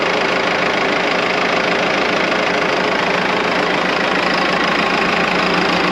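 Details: Morbark 2400XL track chipper's 4BT diesel running after the dead fuel shutoff solenoid was bridged with a bolt: a loud, even diesel clatter at steady speed with a rapid regular beat and no misses; the engine runs normally.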